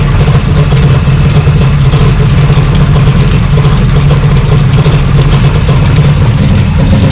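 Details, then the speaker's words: Cold-start 1966 Plymouth Satellite 426 Hemi 4-speed, no choke, still warming up: heavy even V8 idle with a light tinny rattle at the engine front, traced by stethoscope past valve covers and block to the worn water pump. "But you hear this noise in the front? It's like a tinny noise. So as it's still warming up, you can hear a rattle in the engine."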